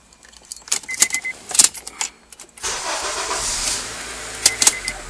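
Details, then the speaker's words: 2003 Honda Accord after ignition switch replacement, fixing an intermittent no-start with buzzing: keys jingle, the engine cranks and catches quickly, settling into a steady, even run, a normal start. "cranks up and starts fine okay all right that's it we're in good shape"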